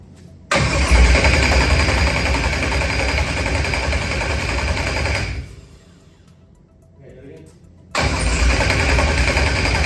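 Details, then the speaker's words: Procharged LS stroker engine with a 12-1 crank trigger wheel and 1X cam sensor, first start attempts: starter spins steadily at about 220 per minute but never catches, then cranks again; wrong trigger settings while the pickup tooth value was varied between six and four. "what were you doing in between each of these failed attempts at starting we were playing with the number of two where the pickup was varying it from six to four"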